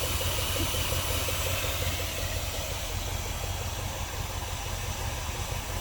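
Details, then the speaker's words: 1976 Dodge D200 after replacing the fuel pump and starter: steady, slightly uneven low idle under a hissy wash, no knocks or misses; much better than before; normal idle. "oh that sounds nice that's much better sure did sounding way better"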